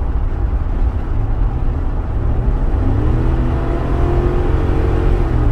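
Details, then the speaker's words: 2010 Ford F-150 on a road test after fuse 27 relocation and fuel pump driver module replacement for a stalling and crank-no-start fault, mechanical returnless fuel system: strong, smooth wide-open-throttle pull with a rising drone over road noise, no stumble or hesitation. "but like I said this is a mechanical returnless system but it seems to be running fine"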